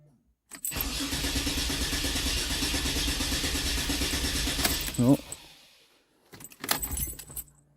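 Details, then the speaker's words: 2007 Dodge Nitro no-start after fuel pump replacement and about 4 gallons added: starter cranks steadily about four seconds with even compression but never catches; owner suspects wrong fuel pump, no leaks, not feeding fuel. "I'm thinking the fucking pump's the wrong one. Oh. I don't have any leaks under here. She's not feeding."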